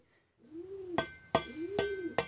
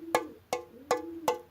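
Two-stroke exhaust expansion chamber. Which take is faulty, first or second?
second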